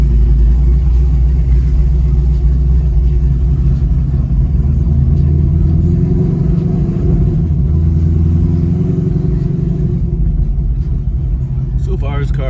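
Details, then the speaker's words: ZL1 Camaro back from the dealership, cold start next day, listening for the earlier belt squeak: loud, steady deep idle with an even burble and no chirp or squeal; belt drive sounds healthy. "car sounds really good. So I don't hear anything."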